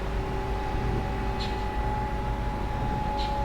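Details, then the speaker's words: Haswing brushless trolling motor on a transom mount with an aftermarket potentiometer, fitted to a Hobie Outback kayak, running forward lifted out of the water: steady even hum with a clean constant whine, no rattles or surging; everything works fine. "all right go back to the off position go reverse same thing in reverse so everything works fine"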